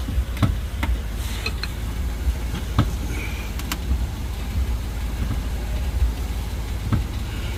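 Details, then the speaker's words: 2005 Lexus RX330 3.3 L, 229,000 miles: irregular dull clunks each time the body is rocked over a low hum; worn rear lower arm knuckle bushing knocking, needing knuckle assembly replacement, alongside worn rear struts. "every time you hit a bump this thing is clattering and we found something while we were doing the inspection"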